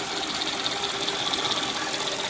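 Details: Mercedes ML430 M112 V8 idling: busy high-pitched metallic chatter from the engine front, loudest at a bracket by stethoscope, none from the accessories; confirmed as a worn timing chain and replaced.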